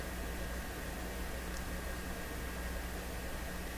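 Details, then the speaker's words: Westinghouse 981X shortwave receiver during alignment, with the BC trimmers being adjusted around 1500 and 9500; this band gives only a flat hiss with a faint hum and no station, so it appears dead. "I don't remember one of these bands not working."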